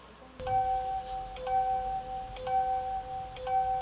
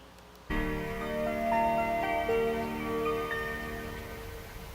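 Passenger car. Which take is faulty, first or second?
first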